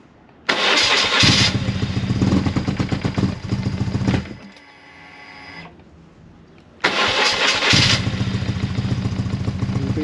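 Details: BMW R1100R oilhead motorcycle cranks, catches, runs roughly a few seconds, stumbles and dies, also with choke on; fuel pump whine audible; owner suspects fuel starvation from blocked fuel filter, replacing filter and pump.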